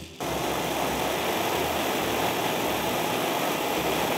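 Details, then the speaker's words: Oxy-acetylene brazing torch with a zero tip opened to its largest flame after adding acetylene then oxygen; steady strong rushing hiss, hiss can indicate an oxidizing or simply very large flame. "to jest to prawdziwy syk nie często chciałbyś użyć takiego rozmiaru płomienia, jeśli lutujesz,"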